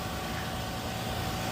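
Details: 2000 Toyota Avalon V6 just restarted after valve cover gaskets, spark plugs, intake manifold reinstall, MAF cleaning, O2 sensor and oil change: even steady idle, smooth low hum, no knocks, misses or ticking; healthy.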